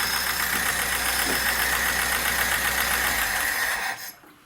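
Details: VAZ 2106, about 1975, 1300 cc engine, 4-speed, electronic ignition, idling in neutral with a light, fast ticking knock from the top end at the camshaft/timing mechanism; worn camshaft and rockers.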